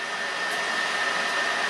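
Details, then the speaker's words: PS4 Pro after teardown, cleaning, SSD upgrade and thermal paste, running Horizon Zero Dawn: a constant, loud jet-like rush of air with a faint steady whistle; the cooling fan is excessively loud, and the owner suspects it needs replacing. "And it looks really good. However, it literally sounds like a jet engine."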